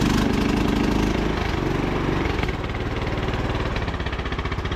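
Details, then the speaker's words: Craftsman T1000 (MTD) riding mower with a dirty air filter. Loud, lumpy thump slowing as the throttle drops, with little backfires and sputters. Rough running; owner unsure if it needs a valve adjustment or a carb cleaning. "you guys can hear the little backfires when you bring the throttle down"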